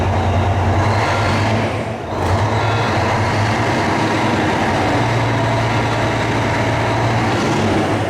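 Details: Volvo VNL diesel truck in a cold, closed shop, running after the exhaust pipe from the turbo was replaced. A deep, steady rumble settles into an even idle with no ticking or exhaust puffing, so the exhaust sounds sealed; normal idle.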